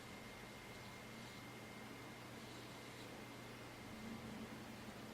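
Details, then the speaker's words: Packard Bell iMedia S3720 desktop tower after repair, booting to Windows: soft steady hush from the slow-turning rear fan, no rattles or surging; machine now running quietly and normally. "wow it is now gone really quiet and that fan in the back is spinning very slowly for quite a wide range on that little fan I'm very impressed"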